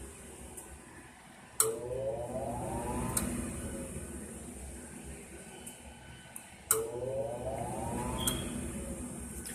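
A sharp click, then a rising whine about every five seconds over a steady hum; the furnace keeps trying but won't light, cause unclear.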